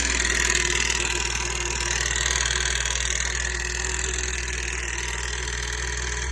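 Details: 2009 Yamaha FX Nytro, 5,000 miles, well maintained, oil full, no overheating or codes: sudden fast knocking about four per second under a rough-running engine, heard after it began at 50 mph; metal in filter and sump from failed stator-side counterbalance bearing.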